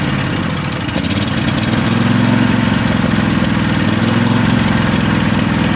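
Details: Craftsman lawn tractor twin, choke on, fuel leaking, suspected from carburetor: uneven lumpy putter with irregular idle beats; still running on one cylinder as it has lately.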